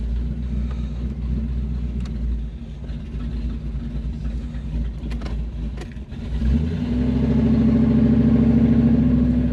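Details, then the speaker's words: Chevrolet Malibu small-block V8 with new top end during street tuning: it catches cleanly with a deep, even burble, then revs climb and hold smoothly with no stumble, temperature and oil pressure holding good, a normal startup and revving. "let's see fire and everything yeah oh that startup I love that"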